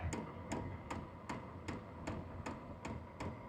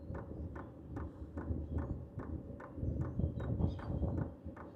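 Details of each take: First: H-Calory diesel heater with its original fuel dosing pump at power level 3: sharp, even ticks about 2.5 per second over a low hum. Ticking gets faster at higher levels and is loud, and the exhaust noise is also audible. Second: H-Calory diesel heater with a replacement WAYSKA fuel pump fitted, shell off, priming; soft, even ticks about 2.5 per second under the fan hum, much quieter than the original pump. Normal fuel pump clicking.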